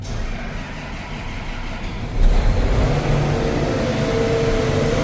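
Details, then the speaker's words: Farm diesel with a feeder house, started after filling the crankcase with 45.5 quarts of oil and priming the fuel filters with the key on. Cranks briefly, then catches and settles into a steady, deep, even idle without stumbling; normal start. "Started. Let's hope it doesn't die."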